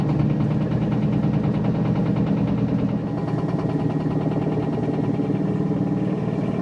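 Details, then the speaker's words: 4-year-old Whirlpool Duet WFW95HEXW2 washer on spin cycle: rough, uneven knock about three per second over the drum rumble; owner suspects worn rear bearings, but the welded plastic drum W10409998 cannot be split to replace them. "so you heard the noise it's knocking I'm pretty sure it's the rear bearings and the drum number eight in this picture just to point out you cannot split the drum it's plastic welded"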